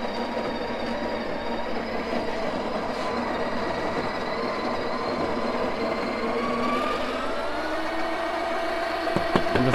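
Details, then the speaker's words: Coffee grinder grinding espresso at setting six; motor whir sags and wavers as beans load it, owner notes a little struggle but still works: motor labouring under load. "all right can you guys hear that little struggle okay this machine has been through a lot over the years so but still works"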